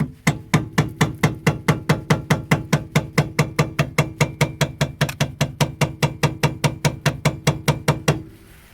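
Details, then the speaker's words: 2003–2011 Honda Element rear suspension: rapid, even metallic clunks, several a second, metal on metal from worn rear stabilizer end links; fix is replacing end links, nuts and stabilizer bushings. "hear metal on metal it's the stabilizer end links you gotta change"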